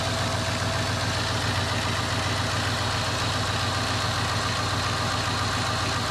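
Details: 2001 Cadillac DeVille cold start after new starter: smooth, even cold idle with a steady low hum, no knocks or misses; sounds healthy, owner says it sounds good.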